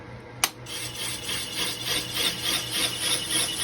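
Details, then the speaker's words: Lathe resurfacing an old Willys Jeep clutch pressure plate, with an anti-chatter band on the plate and the power feed turned up for a heavier chip load: a harsh rasping scrape pulsing about three times a second, from cutting-tool chatter. "sometimes the heavier chip load cuts down on chatter seems to be working so far A little bit of chatter going"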